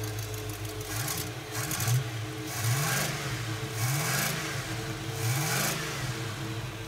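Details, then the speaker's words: 1970 Oldsmobile Cutlass V8, first run after about 15 years sitting, warm: strong idle with repeated quick throttle blips, revs rising and falling cleanly, no knocks or misses; sounds healthy, with slight chop only before stalling if the fuel pump stops. "Sounds pretty damn good. Sounds pretty damn good. I like it."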